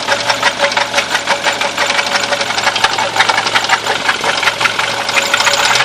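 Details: Audi 80 B4: uneven tapping knock, roughly three per second, over the running engine; engine knock, source unclear.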